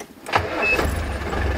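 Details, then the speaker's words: Land Rover Defender diesel restarting after roadside breakdown traced to fuel lift pump and fuel cutoff solenoid: brief clatter then settles into steady low rumble; runs normally, though solenoid not yet wired so engine cannot be switched off. "the engine and what do you know it runs can you believe it"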